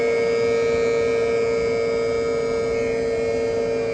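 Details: 2022 Tesla Model 3 rear-wheel drive with heat pump, recorded from outside the car with defrost on: steady mid-pitched whir with a clean tonal hum, even level, no knocks or rattles; heat pump running normally.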